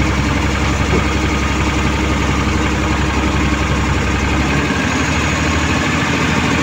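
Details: Suzuki Multicab F6A three-cylinder engine that would not start, now running after carburetor overhaul, cleaning and float valve adjustment: steady, even idle with a smooth low rumble, no misses or knocks; healthy.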